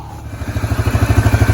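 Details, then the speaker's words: Yamaha Grizzly 550 ATV, diagnosed for smoking, water found inside, idling after warm-up: single-cylinder thumping settles into an even steady beat of about ten pulses a second; clean healthy idle, no smoke. "All right, she's running. I let her sit there and idle and warm up for a good bit. There was no smoke."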